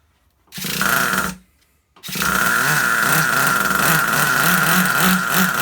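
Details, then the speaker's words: Vintage Traxxas Rustler nitro RC engine, first start indoors after a year and a half of sitting: a brief stumble, then a high buzzing run with a soft, uneven burble; running plenty rich but steady. "This thing is running plenty rich."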